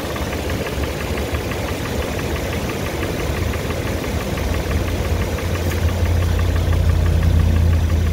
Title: 1grfe sound knock tick tap noise lifter cam tappet bearing fj Tacoma